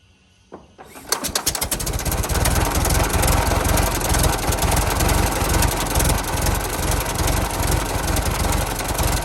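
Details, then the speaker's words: 1916 Federal Motors truck, 107-year-old four-cylinder that was seized and sat 50+ years, rusty radiator being filled with water; cranks and catches within a second, then steady loping beat of two to three pulses a second: normal idle. "I gotta say she runs real good for being 107 years old and sudden for 50 years it's crazy how good these things will run once you get them started"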